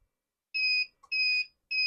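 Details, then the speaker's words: Wagan Elite 400W pure sine inverter with a 75W incandescent bulb load, input around 10.5 V: repeated shrill two-tone beeps, about one per second, that persist when the voltage is nudged up. This is the low-voltage warning; cutoff came at 10.16 V. "And if you boost up a little bit, still beeps."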